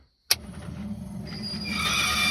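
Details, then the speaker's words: Land Rover Series 2A wiper motor after being removed, before regreasing: a click, then a steady electric whir building and holding evenly with no grinding or catching; wiper motor working normally. "oh working that's a good thing sounds a bit bloody how you going but it's working so I'm happy with that"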